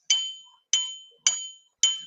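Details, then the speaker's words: Bench grinder wheel ring test before fitting, wheel suspended on a pin and tapped in four places: clean bright ring dying away slowly, no dull clunk; wheel is sound, uncracked. "So what you do is suspend the wheel on a pin and knock it, and it should ring."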